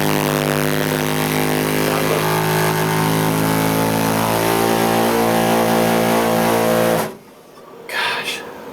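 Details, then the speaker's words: Gas tankless water heater, installed April 2007, with an intermittent loud horn-like low harmonic drone since October 2009. It cuts off abruptly. "some sort of harmonic vibration and there's no stuffing it once it starts you have to turn the water valve off and back on again just to get the thing to stop"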